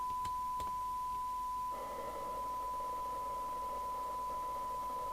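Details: Midland 3001 27/81 UK FM CB radio, donated set before alignment, RX tweaked down, measuring about 2.65 µV for 12dB SINAD: steady test whistle received with a rough buzzy edge and hiss; the IF and detector alignment is well off.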